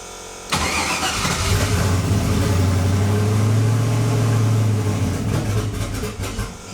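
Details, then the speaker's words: V8 on first drive attempt, tuning fuel because it wouldn't idle and seemed not on all 8; catches and runs rough, idle sagging and stumbling before fading off, air-fuel reading leaning way out; lean stumble, fuel table being adjusted. "Oh, it's leaning way out. What if I just change this to like 5? It literally had no fuel in it."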